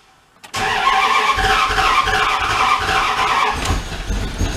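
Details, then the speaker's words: 1997 Dodge pickup that sat broken down for four years cranks with a steady churning rhythm but never catches, seeming to spin backwards. Ignition timing is suspected, the coil looked bad, and another issue is suspected. "come on you can hear it kind of like where it like spins backwards [Applause] that right there that's a timing issue"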